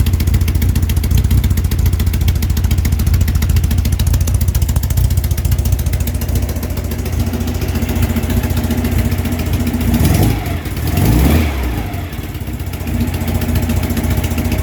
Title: ticking sound